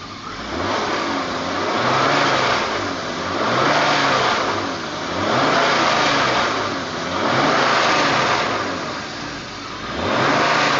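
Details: BMW 325i E36: air intake suction noise at idle, with revs swinging up and down about every two seconds, and a buzzy vibration drone around 3000 rpm; cause unclear.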